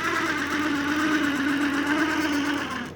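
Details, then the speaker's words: Water-damaged Lionel 8142 locomotive on the rail, just unboxed, not yet lubricated: steady raspy buzzing whir, then stopping; motor is very dry and needs lubricating, oxide throughout, owner suspects motor was underwater. "Like I said, this is all water damage. So that's why the motor is so dry, as you"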